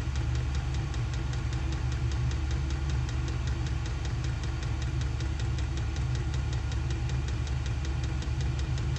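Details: SILVEL diesel heater on high in an insulated two-car garage, exhaust ported through the wall: steady low fan roar with an even fuel-pump tick about four per second, running normally at full heat.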